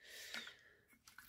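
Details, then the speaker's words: Recycled 11 W 2700 K spiral compact fluorescent lamp, already making noise before test: brief hissing rush at switch-on then a few sharp ticks, lamp never lights; something seemingly broke inside, cause unknown. "elle fait un peu de bruit j'espère qu'elle est pas cassée dedans je sais pas pourquoi ça fait ce bruit là"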